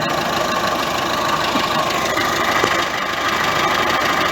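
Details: Ford C-Max 1.6 diesel driven in gear: steady mid-high whine over the drivetrain noise from the transmission. Worn differential (final drive) gear bearing, before the gearbox was removed for overhaul.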